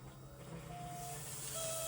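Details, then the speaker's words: Buzzing while priming fuel on a VW Mk2 Scirocco 16v abandoned for 20 years: a thin steady buzz with high whining tones that come and go as fuel is pumped. The owner first thought it was the fuel pump but now suspects the injectors; unconfirmed. "I hear like a Does that like Does that the injectors making that sound? Yeah. I thought it was the fuel pump."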